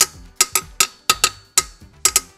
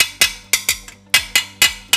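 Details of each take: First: Old first-generation Honda Scoopy frame, rusty from years of rain, tapped by hand: about nine sharp taps die away at once with no ringing, a thick, solid-sounding frame. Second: Honda BeAT 2020 with eSAF frame, tapped by hand with body panels removed: sharp metallic taps ringing hollow and tinny with no solid thud, unlike the solid sound of a 2015 non-eSAF BeAT; suggesting rusted-thin steel inside the frame.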